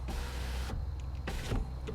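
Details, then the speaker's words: BMW E90 new rear window regulator, window switch plugged in and operated from the back: motor hums under a second, stops short, runs briefly again; owner suspects it needs a computer reset. "all right up interesting how it's stopping we might have to reset something in the computer or something like that"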